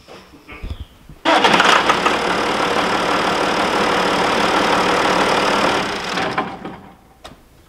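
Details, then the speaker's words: John Deere 7200 tractor diesel, which needed 20–30 key turns to crank for two years, after replacing a cheap starter-circuit part: brief starter whir, then it catches at once and settles into an even, steady run; a normal crank and start. "i'm not gonna lie that's uh that's pretty rewarding i do feel kind of dumb though that's two years of turning the switch for a 23 part"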